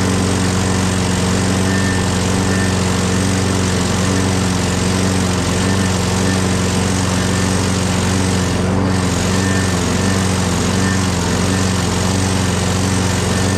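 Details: Craftsman 6.5HP Briggs Quantum FWD mower after magneto replacement and carb clean, primed and electric-started: steady, even single-cylinder drone at constant speed, no hunting or surging. Owner notes an unexplained clanking and that it needs priming every time.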